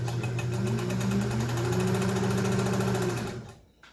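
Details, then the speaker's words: Restored Kenmore 120.49 sewing machine, final test with mic close to the machine: steady run at about three to four stitches a second, even motor hum, rubber-wheel drive a little noisy but sewing normally. "being a rubber wheel driven mechanism rather than a belt or gear driven it's a little bit not noisy but you can hear that but she's sewing beautifully"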